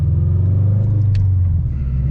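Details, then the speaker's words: Subaru BRZ with aftermarket exhaust, in-cabin at highway cruise around 80: constant deep booming hum with no pitch change, so loud passengers can barely talk; exhaust drone, owner suspects the exhaust work and wants to quiet it. "but the problem is when I'm on a long road trip or if I'm on the highway the Drone is so obnoxious that I can barely like talk to the person in the passenger seat"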